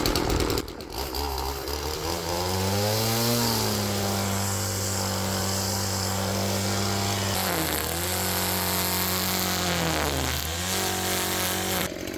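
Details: Stihl two-stroke weed trimmer, restrictor plate removed: crisp buzz holds steady and revs up and back down cleanly twice, no stumbling; running healthy.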